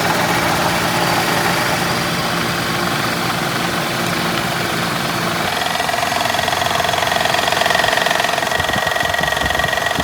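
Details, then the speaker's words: 1998 Pontiac Grand Prix GTP idling, AC on max cold while charging R134a through low-side port: steady knock about three to four per second from a badly knocking AC compressor, though air blows ice cold. "So I want to point out, we obviously have a compressor that's got a horrible knocking noise going to it."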